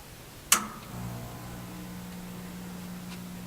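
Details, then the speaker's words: Bench test of BPS 4448-M inverter on 49.6 V DC battery bank: click at switch-on, then steady even low hum; inverter running normally. "you can hear it humming it's on now"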